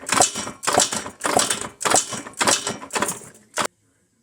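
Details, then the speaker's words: KTM 50 Junior Adventure 50cc dirt bike, long-stored, cranked with carburetor removed for a compression test: even strokes about two per second, no gaps; good compression at 105–110 PSI, spark present, fuel issue suspected. "got 100 between 105 and 110 PSI which is good I think that's good"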